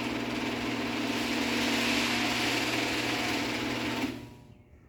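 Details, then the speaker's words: Genie H6000A garage door opener rebuilt with the chassis from a parts unit and a different motor: steady, even hum with a smooth drive whir for about four seconds, then a clean stop, quieter than the old motor; normal operation. "You can also hear it is quieter with this other motor in it as well, which I also like."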